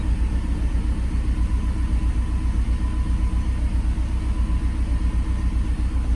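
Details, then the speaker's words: Mercedes SL500 just started after Sea Foam was added to a nearly empty tank: deep, lumpy low rumble, shaking, popping seemingly from the front of the engine; owner suspects an exhaust leak; rough idle. "Sounds like a tractor. Frig's sake. Shaking the shit out of it. Sounds like a friggin' tractor. Sounds like it's popping from like the front of the engine."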